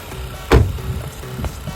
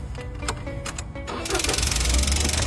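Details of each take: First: Car engine after replacing a leaking canister purge solenoid (carbon canister valve) that caused ticking, with the connector plugged in. After one thump it settles into an even low idle with no ticking: fixed, normal idle. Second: Car engine at start-up, before repair. A fast, light ticking over the idle stops when the canister purge solenoid connector is unplugged; the valve leaks when closed unpowered. The ticking is from the valve, not valve clearance.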